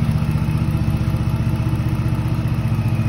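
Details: 2007 Dodge Charger SXT 3.5 L that died driving and only cranked, after adding 4 gallons to an empty tank: low, steady idle pulsing about three times a second with no misses or knocks; it had run out of gas.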